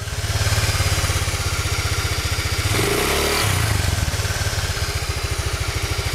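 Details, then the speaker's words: Honda Vario Techno 110 CVT with an aftermarket Proper Racing Line clutch bell and original double clutch pads, CVT cover fitted: steady throbbing revs rising and settling, with no whistle or squeal; the clutch side sounds fine. "Menurut saya ini enggak ada sama sekali suara siulan ya"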